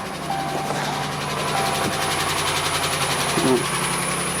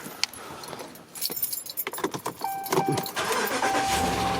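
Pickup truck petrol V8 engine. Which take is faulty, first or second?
first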